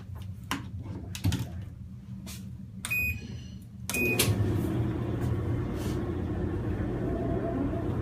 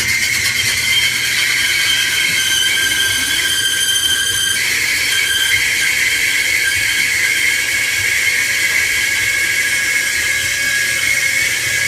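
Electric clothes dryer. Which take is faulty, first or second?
second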